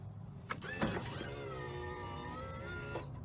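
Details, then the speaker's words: Kwikee RV motorized entry step (A-type gearbox) after repair with 14 Nm motor: steady electric whine about two seconds, even pitch, no grinding or binding as step cycles; motor running fine. "I tell you what, that 14 Newton meter motor seems like it's doing just fine."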